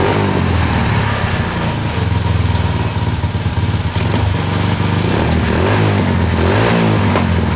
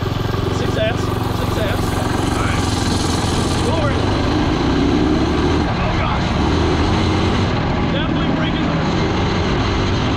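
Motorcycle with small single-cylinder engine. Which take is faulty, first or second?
second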